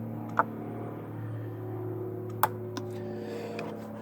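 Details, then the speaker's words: Ford F-150 4WD IWE vacuum solenoid commanded on and off with a scan tool, engine off; three sharp single clicks about two seconds apart over a low steady hum; solenoid switches cleanly each time. "i'm gonna hit no yes do you hear the clicking"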